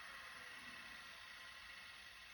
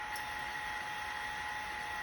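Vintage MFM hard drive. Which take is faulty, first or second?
first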